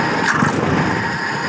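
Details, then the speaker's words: Carburettor sent in by a subscriber, previously workshop-repaired, tested on a car with the emission system bypassed: the engine runs rough and sags hard after the throttle snaps shut, nearly stalling, as the idle/slow circuit runs too rich; the mixture screw is being reset. "Ah bahkan mau mati. Nah, coba kalau kita kurang padahal ini sudah benar ya settingan segini tadi enam ya"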